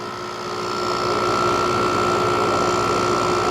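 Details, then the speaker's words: 2001 GE 6000 BTU window air conditioner (AUV06LAT1, Mitsubishi compressor) after compressor mount replacement, warmed up but not fully cold: even steady hum with clean high tone; much smoother, only slight remaining drone versus before. "Yeah, it's much smoother than it was, much quieter. It had like a steady droning sound before. It still does slightly, there's a slight bit of that, but it's way better."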